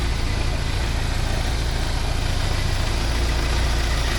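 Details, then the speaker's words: 1979 Porsche 924 warm idle after 10 minutes, fan running: steady low idle with faint rough pulsing; owner unsure if alternator (new 3D-printed bushings), belt or surroundings, suspects shaking water pump pulley, will keep an eye on it. "A little bit of a shake. Water pump. Pulley's got a bit of a shake, maybe that's causing it. I don't know."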